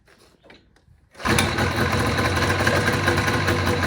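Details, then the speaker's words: 1980 Yamaha Enticer ET300 two-stroke, revived after sitting an unknown time, with fresh plugs and mixed gas in a dry fuel system. It fires after much coaxing on the recoil starter and settles into a steady, even, buzzy run, running properly. "we give it a little bit of coaxing but we did get her to fire so she should run now"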